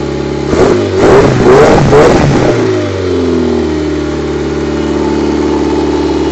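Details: Mitsubishi 4G67 engine, first start after a long rebuild (still not fully complete): three or four quick throttle blips, then drops back to a smooth, even idle with no knocking; normal revving and idle.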